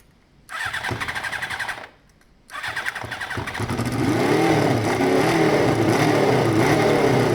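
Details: Carbureted motorcycle after a modified air setup: fires up and settles into a slightly uneven, loping, lumpy idle. Owner says it sounds great, but the carbs would need rebalancing if he keeps the air setup.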